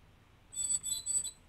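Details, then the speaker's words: Nikon 17-35mm f/2.8D lens after a stuck-zoom disassembly repair, with the focus motor left untouched; three quick, high squeaks as autofocus drives, a squeak also present before disassembly, though focusing still works. "can hear it squeaking I was squeaking before I took it apart"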